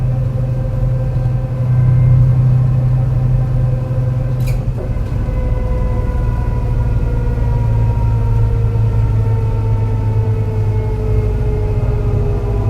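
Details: Torrens Transit Adelaide bus #757, MAN NL202 on CNG with ZF Ecomat 5-speed automatic, climbing hilly G21 route to Aberfoyle Hub; engine drones under load with a rough uneven beat: bad misfire under load, cause not stated.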